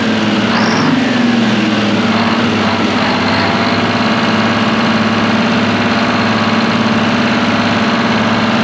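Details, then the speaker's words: Abandoned twin-turbo Detroit Diesel 12V71 generator set after fan rattle sorted: steady, even idle with constant low drone and no fan clattering; runs well. "dude what a sweetheart of a motor sounds way better than a fan clattering around on it much better"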